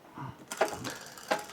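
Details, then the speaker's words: Specialized Rockhopper mountain bike after front derailleur adjustment and added rear cable tension: single crisp click as the chain drops onto the next cog, then quiet running without tapping; normal gear shift. "Yep. Nice clean change is what we want."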